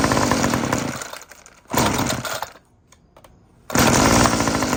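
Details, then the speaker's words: Homelite UT20024A Zip Start curved-shaft trimmer with aftermarket Ryobi Ruixing carburetor, low and high speed screws adjusted, fresh gas, Bosch plug: crisp two-stroke buzz revving up, dropping to quiet idle and picking up cleanly; runs healthy. "Um and I adjusted the low and high speed screws and actually sounds like a good runner to me."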